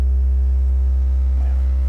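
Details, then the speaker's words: Jeep Wagoneer S (electric) front door speaker playing a steady 65 Hz test tone, with a faint buzzing rattle from the loose speaker grill/door panel; touching the grill changes it; door panel revised several times for this issue. "And once I know exactly what frequency is causing this rattle, you guys may not be able to hear this. About 65 hertz is when I start to hear the door panel rattle."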